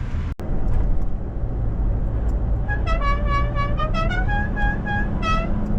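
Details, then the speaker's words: Newly fitted Horn Blasters Dixie air horn with compressor, mounted on a running truck; clear tuned notes step up and down through the Dixie melody over the engine, loud and playing its full tune properly: normal musical air horn. "It's funny. It's loud. It's exactly what it should sound like."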